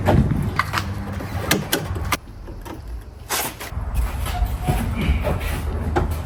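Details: Acura RSX Type-S with the K20Z1 at idle: low, lumpy idle with loose, irregular metallic rattles up front from an exhaust leak, which the owner believes is a missing donut gasket between the headers and the cat.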